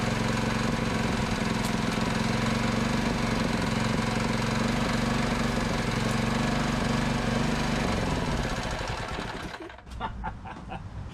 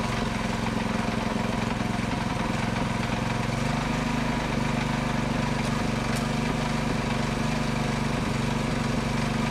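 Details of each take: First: Predator 224cc engine with ported Predator 212 Hemi head on a minibike: runs hard with a fast steady metallic clatter until shut off; loose throttle parts shaking from vibration, throttle cable not yet installed. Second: Predator 224cc Max Performance engine with milled, ported HEMI head and stainless valves, first run after rebuild, choke on: steady, even single-cylinder firing with a slight speed step midway, no knocks; runs healthy.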